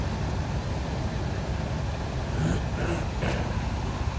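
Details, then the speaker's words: Ford Expedition V8 truck with a newly replaced alternator, started up: low, smooth, even idle rumble with no misfire, knock or stumble, "like a sewing machine"; healthy normal idle. "start that thing up sound like a sewing machine like my uh my boys stay on uh we hustle daily there she go though"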